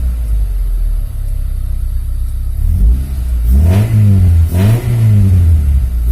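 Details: Freshly assembled Honda Civic Genio engine while setting the air-fuel ratio: steady low idle, then two quick blips rising cleanly and dropping back evenly; revs smoothly and sounds healthy.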